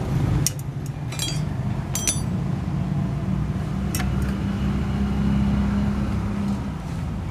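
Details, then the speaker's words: 2003 motorcycle at idle: uneven knocking over a rough, lumpy engine note with metallic clinks; bent crankshaft wobbling up and down and play at the primary gear mesh cause the knock at idle. "Jadi terjadinya ada benturan tekanan jadi terlalu kuat sehingga mengakibatkan adanya bunyi ngotak-ngotak ketika kita lagi langsam ya."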